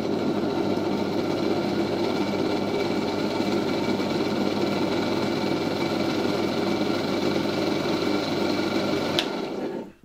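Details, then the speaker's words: 1970 Zelmer 01 vacuum cleaner, East German Suhl type 1004.2/5 motor, run slowly on reduced voltage from a transformer: steady whine with gritty rough edge; bearings badly worn, something rubbing the housing, windings appear sound. "Ewidentnie coś tutaj obciera. Ewidentnie są już bardzo zużyte łożyska, ale wygląda na to, że uzwojenia są sprawne."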